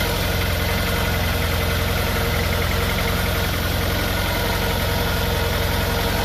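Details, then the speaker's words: Honda Prelude misfiring: uneven, brappy rough idle with a loping beat around three per second, shaking more than usual and popping from the exhaust. Owner suspects a misfire and is checking spark plugs; cause unconfirmed. "uh oh that's rough [Music] [Music] shaking more than i used to i think it's it's firing or something"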